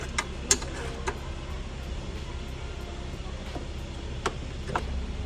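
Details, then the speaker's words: BMW E30, over 30 years old and stored 6 years, idling after the slipping, squealing belt was re-tensioned: a low, steady idle rumble with a few light clicks and no squeal. Normal idle, no belt squeal. "Haben jetzt den Kri ein bisschen mehr gespannt. Jetzt quitcht es nicht mehr und jetzt wieder alles super."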